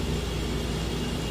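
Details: Whirlpool double-door refrigerator after replacing the worn condenser fan motor (old one made a loud grinding noise from worn bushings): new fan spins freely with a steady, low, even hum, no grinding or rattle.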